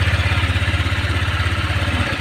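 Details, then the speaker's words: Honda Vario 125 scooter at a fast, even idle with a gritty rattle, loud at times and intermittent, also heard when starting. The CVT was ruled out; the cause was a radiator water pump with a worn seal and bearing. "Oke Guys nih kedatangan Vario 125 guys bunyinya aneh ini kalau di starter dikit ya bunyinya kayak gitu kadang kalau nyala tuh bunyinya keras banget tapi kadang hilang nanti muncul lagi"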